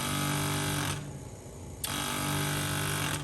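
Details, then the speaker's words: 1990 Corvette ZR1 vacuum pump, ignition on, supply line disconnected and plugged by finger: pump buzzes about a second, stops briefly, buzzes again, repeatedly recharging; owner suspects a slow vacuum leak downstream, not confirmed. "i've disconnected the initial line coming from the pump and plugged it with my finger if i let it go that pump will continue to try to charge the line i think we're seeing is a slow leak somewhere downstream of this"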